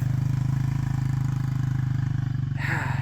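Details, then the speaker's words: Neglected Yamaha Warrior quad on its stock exhaust (FMF removed for lacking an exhaust donut): open, even single-cylinder thump, steady with no misses or knocks; runs healthy after starting on one pull. "it sounds good. So that is like a stock exhaust."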